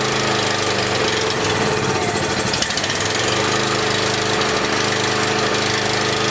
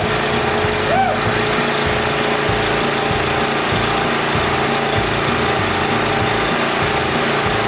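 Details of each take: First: Small single-cylinder generator, on choke, low-oil shutdown disconnected: uneven, hunting beat that steadies into smoother running while carb spray is applied at the intake; suspected air leak at the insulator block. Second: Honda GX340 engine on a Wacker generator, after fitting the correct gaskets with the original insulator and carburetor: the engine holds a steady, even chug at constant speed with no misses, surging or knocks. Normal running.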